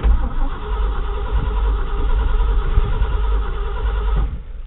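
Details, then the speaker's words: 1979 Ford F250 with an Edelbrock four-barrel carburetor, around 50°F and unused for three weeks, started with a gas pump and choke. Long, low crank for about four seconds without catching. Owner suspects flooding or a lack of fuel. "Maybe it's flooded. Wasn't getting enough fuel."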